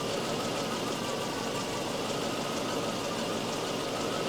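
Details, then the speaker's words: Volvo 244 idling during a Sun tester cylinder balance test, cylinders cut in turn (cylinder three dropped 77 rpm, the next 87): even, steady idle with no misses, and RPM drops are close across cylinders. Balance is good; owner's head-gasket worry doubted. "and what we want to see is pretty much the same numbers of on each cylinder that will indicate that the cylinder balance is good wow oh it's close it's really close that is impressive"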